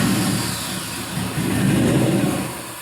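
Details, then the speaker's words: 4.8L Gen 3 LS V8, 175k miles, on a test stand with no transmission, coolant 138°F: lights off, wavers briefly, then settles to an even 700 rpm idle as it warms; oil pressure 40-50 psi, healthy start. "so we've got good map there 700 rpm uh on the idle and we'll slowly start to warm up here"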